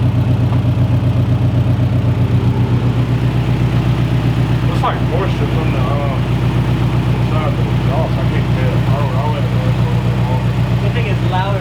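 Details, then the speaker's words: FRS boxer engine, first start-up after turbo install, untuned and not yet at operating temperature. Even, lumpy idle pulsing about four times a second with no belt squeal or hiss, and no leaks seen so far: normal idle. "that belt's not squealing oh boy this is exciting"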